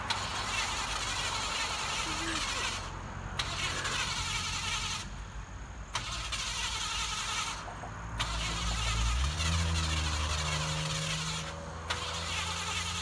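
Several cranking bursts turn over at about four beats a second with pauses between, and the engine never catches and runs.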